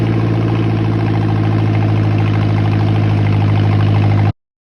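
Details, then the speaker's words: John Deere 1010 tractor first start after sitting many years, carburetor repaired and ignition points/coil tested: low steady putt about four beats a second, even and unbroken, no knocks or misses; healthy idle, small leaks only. "other than that sounds pretty good so at any rate I think we could consider this a success"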